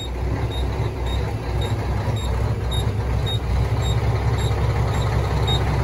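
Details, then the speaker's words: Auction 2006 diesel truck, about 1.4 on the odometer, idling: lumpy uneven beat with brief sags as if it wants to die, repeatedly recovering; rough running, cause unclear. "Now it's back running. Now it's trying to cut off again. Let me see. It's a bad truck. Sound like it's trying to cut off."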